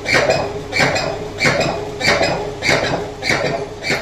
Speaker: Now, first of all, if the drum of the washing machine is broken, if it is broken at the pulley part, that is, the shaft part, you will hear a sound like what you see in the video. Such a knocking sound, watch and listen, let's listen carefully.